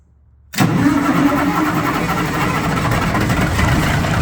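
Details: Cummins NHC250 diesel in a 1980s M818 military 5-ton truck, first test run after adjustments for an earlier popping noise; fires almost instantly and settles into a steady, even idle with oil pressure reaching 60 psi, running better than before: normal start and idle.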